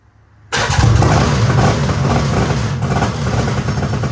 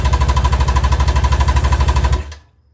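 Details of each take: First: Two-stroke mini jet boat engine, running for the first time after misrouted carburetor fuel lines were corrected so it pulled fuel; catches cleanly and settles into a steady, even run with a strong low drone, no misfire: normal running, and the kill switch works. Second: Carbureted engine in a budget 7' mini jet boat, first start ever, on the reserve fuel setting; fast, even buzzing pulses at high revs for about two seconds, then an abrupt cutout, with lots of smoke: runaway over-revving on first start.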